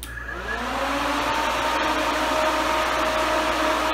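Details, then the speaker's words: Twin electric radiator cooling fans for a 1968-72 GM A-body (70 Chevelle), bench-wired via relays, triggered at 180 degrees to full power: spin up within half a second to loud steady rushing whoosh, no rattle; healthy full speed. "okay so those fans are not playing around they are pulling a huge amount of freaking hair"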